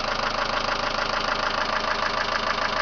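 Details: 2001 Mitsubishi Lancer Cedia GDI 4WD petrol idling: quick, even, loud metallic tapping from the top of the engine from knocking hydraulic lifters; lifters to be replaced.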